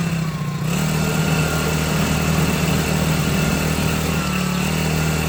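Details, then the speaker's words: Cheap China-made 4-stroke outboard on first water test in a bucket, idling during break-in before first oil and gear lube change; small single burbles at a steady low idle with water splashing, running evenly, normal idle. "So I'm gonna let it run on idle, and we're gonna break in the engine here."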